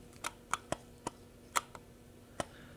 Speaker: it feels like something is loose in there. And I've heard reports of this, that it's the IBIS. I'll say, having had so many Canon bodies and Sony bodies, I've never had their IBIS sound like this.